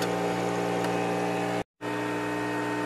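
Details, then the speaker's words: Machine using a flow cell: steady electric motor hum with no cycling, the motor keeps running and won't stop because the flow-cell reading is very low. "this one also as you hear the motor is uh still running because of floor cell the valve is very low"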